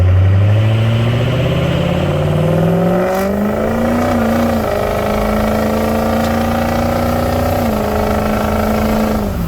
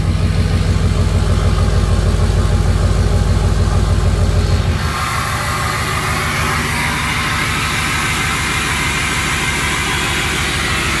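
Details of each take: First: Warmed-up Ford 6.0 Powerstroke diesel with the smoke switch flipped off, holding the VGT turbo vanes closed; this throws a check engine light. A whistle-like spool rises and holds over a deep rumble, then drops as revs fall, like spooling a massive turbo. Vanes held closed, heavy spool. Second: 6.0 Powerstroke diesel, still a little cold, with the VGT smoke switch on so the turbo works normally: steady diesel clatter at idle, then a smooth airy whoosh as the turbo spools. Normal turbo operation.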